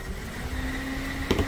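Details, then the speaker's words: Suzuki Karimun Wagon R with double Blackcore, after Blackcore cleaning and a combustion-chamber clean, idling around 700 rpm: a low, smooth, even idle with only a faint injector tick, fan noise gone, and vibration barely felt. "mesin super halus hanya terdengar suara injektor saja yang kencang hanya suara injektor saja setelah suara kipasan hilang yang ada hanya suara injektor sangat halus nih getaran juga berkurang ini hampir tidak terasa"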